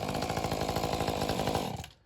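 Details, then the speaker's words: Mantis two-stroke tiller after repair, fault fixed by replacing a switch (owner had feared a bad cylinder); rapid even buzz with steady firing pulses, then switched off cleanly and dies away; normal running. "So that's all it was. It's music to my ears now."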